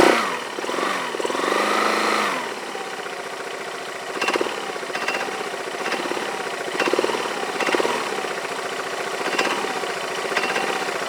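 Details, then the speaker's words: Yamaha Majesty scooter idling on the lift with the parking brake on: an irregular metallic clank about once a second over a steady idle, from the drive side. The owner suspects the CVT clutch, is unsure whether it is normal, and plans to inspect the clutch and shaft. "it's like metal-on-metal but that sounds like smelling metal-to-metal what does normal I don't know I don't that's normal or not but that's the noise I hear"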